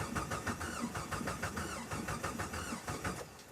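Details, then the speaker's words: 2003 Jeep Wrangler TJ after new fuel injectors were fitted: the starter cranks in even pulses about three per second, but the engine never fires. The fuel rail is dry, and a clogged fuel line or a dead rear fuel pump is suspected, since no pump click was heard. "After doing some troubleshooting on the fuel injectors and finally pulling one out, the fuel rail is dry. That means either the fuel line is clogged somewhere or the fuel pump in the back isn't pumping at all."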